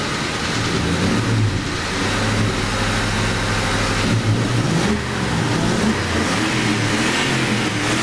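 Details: 1994 Mustang Cobra swap, known to have spun a bearing, slightly high idle and needs a tune: revs up and down with a dull knocking over the exhaust growing with revs; sounds like bottom-end knock, cause unconfirmed.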